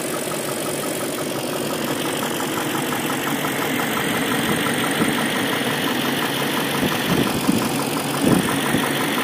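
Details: BMW M62B44TU V8 at idle with stock exhaust: a loose, uneven rattle near the front of the engine, suspected slack timing chain, which prompted replacing the chain tensioner with an aftermarket INA part (BMW 11317531813); timing chain rattle.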